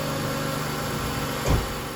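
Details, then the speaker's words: BMW E46 330xi after valve cover gasket and spark plug replacement, earlier misfire traced to a bad coil: steady even six-cylinder idle, smooth low hum, no stumbles; runs smoother, normal idle with no misfire. "make sure there's no major oil leaks sounds like it's running really good no misfiring at all"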